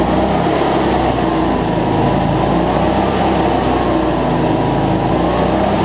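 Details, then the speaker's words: Cub Cadet zero-turn mower, Briggs V-twin, after fixing over-tight governor spring that made it race; no black smoke now, battery not charging; even, steady roar with no surging over six seconds; normal running. "much better though no black smoke so so all right let's see we got multiplied here so that's much better"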